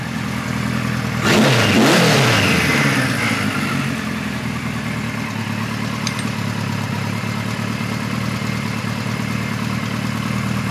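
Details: 1973 Kawasaki Z1 900 with 4-into-4 exhaust, new BR8E resistor plugs without resistor caps, warming up, air screws at about 1 5/8; quick rev blip then an idle with a faintly uneven beat, occasional miss thought to be cylinder one or two; cause unconfirmed.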